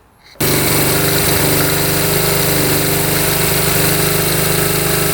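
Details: 1972 Honda CT70 single, bought at auction with a bogging problem, buzzes at a steady even beat with no misses or knocks, after timing was set with a timing light, F mark centred: normal idle and revving.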